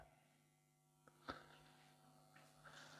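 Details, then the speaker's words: Sansui FR-D25 turntable on amp phono input: steady low mains hum with handling clicks, caused by a ground loop through the plugged-in Bluetooth receiver's charger; unplugging it stops the hum. "Now, if I pull this out, which is the charger for it, put it back in, there was the problem all along. The bloody Bluetooth receiver."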